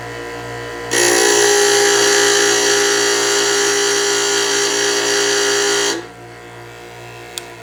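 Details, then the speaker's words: Harbor Freight 8" bench grinder (Bauer 3/4 HP 3600 RPM or Hercules 0.9 HP variable-speed comparison), wide heavy wheels; steady high whine holds pitch while a chisel is ground for an extended time; motor keeps speed under load without bogging. "Now I purposely left that on there a little longer than what I would normally do, and that was so that you could hear that it keeps up. Even though I'm bogging it down while I'm grinding, the motor is strong enough to keep up with the grinding, which is actually awesome."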